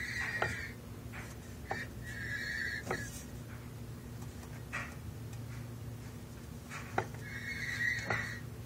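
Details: Silverado 460LE transmission: high squealing whine in repeated bursts when the driveshaft is turned by hand counterclockwise (drive direction); silent when turned clockwise (reverse). Cause unknown.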